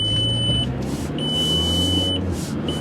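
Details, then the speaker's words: 2005 VW Passat pulling away on a test drive: high steady beep in repeated one-second bursts over low engine hum, brake/ABS warning chime with flashing brake light; ABS light already on, it does this every time it takes off. "Alright, so as you can hear and see probably, that we have a flashing brake light, which we know, obviously, because the ABS light was already on. So it just does that every time you take off."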